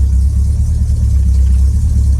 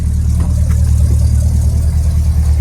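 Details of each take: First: 1968 Ford Thunderbird V8 cold-started on a cool May morning with 5 or 10W-40 Lucas oil and barely any choke: low, uneven idle surging and stumbling; engine dislikes choke. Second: 1968 Ford Thunderbird after fitting a mechanical oil pressure gauge, choke fully off: smooth, even low rumble at steady idle with no misses or knocks; idling perfectly, doesn't need choke when running properly.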